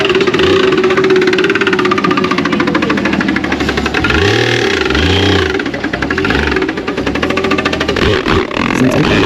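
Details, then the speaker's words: Jeep XJ off-road build: rapid regular metallic knocking over a rough idle, following revs up and down; heavy internal knock, suspected rod hitting the oil pan. "A rod hitting the oil pan. Is that what that is? I think It's a rod hitting the oil pan."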